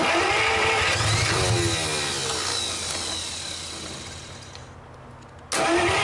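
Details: 1949 Buick straight-8, first start in years, with distributor cap and rotor from a 1950 parts car and gas fed to the carburetor, timing being advanced; long steady crank slowing as the battery sags, no firing, no start.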